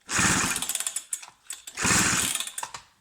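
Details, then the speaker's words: Husqvarna 266 chainsaw ('86), needs a carb kit, revved in two bursts trailing into uneven popping at idle with an odd internal noise; owner suspects a worn crank bearing before teardown. "yeah pretty sure we got a crank bearry making noise so let's tear it down and see what we can find"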